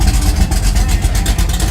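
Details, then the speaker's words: C-body Road Runner with its engine shoved forward, driven off in first gear: a deep, steady V8 rumble under load with no grinding or whine from the gearbox; first gear sounds normal. "Oh yeah, there's first gear. Doesn't sound bad."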